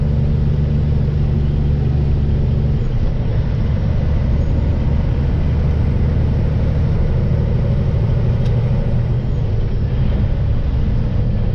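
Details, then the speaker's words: Truck towing trailer in snowstorm, heavily loaded; heavy steady low droning boom around 1600 RPM, exhaust drone of unknown cause, owner plans to drop weight off truck and trailer. "Exhaust has developed a gnarly drone at around 1600 RPM. It's almost like VTEC in a Honda."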